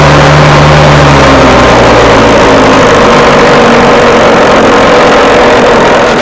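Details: Scratch-built early-1970s radio-controlled boat, two-stroke engine revived after twenty years unused, water-fed cooling working: steady even buzz, no stumbles or knocks, running smoothly and healthy, seems to cool itself.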